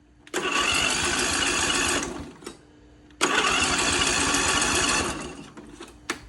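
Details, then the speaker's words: 22HP lawnmower engine revived after brackish-water flooding, on its first start with choke on and fresh fuel while water was still coming from the exhaust: two rough hissing bursts, coughing and spitting as it tries to catch; sputtering on first start. "So, she sputtered a couple times, blew a bunch of crap all over the place."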